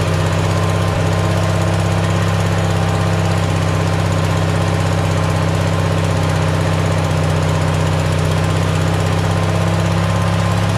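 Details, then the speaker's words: Simplicity tractor with a cheap Chinese replacement carburetor; steady, fast, even drone with no hunting; idle estimated about 500 rpm too high, owner plans to add a spring to idle properly; cause not confirmed. "it's probably about five hundred rpms too high anyway"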